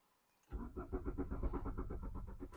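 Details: Mk3 Golf GTI 8-valve, 115,000 miles, sat abandoned about six years: even cranking at about eight pulses per second for two seconds turns freely but never fires. No fuel-pump gurgle heard, so fuel supply is suspected but unconfirmed.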